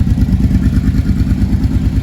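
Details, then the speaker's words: Kawasaki Brute Force ATV just after the engine was reinstalled, at idle: deep, lumpy idle with a light loose rattle; owner suspects the exhaust, unconfirmed. The earlier heavy knock is gone. "Got a little bit of a rattle from something, but we'll figure that out. Probably the exhaust."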